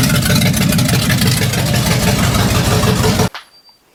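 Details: 1966 Chevrolet C10 V8, distributor loose while setting timing: rough uneven idle with irregular rattly knocking over firing, then shut off; owner suspects one cylinder, possibly a spun bearing, unconfirmed; abnormal engine noise.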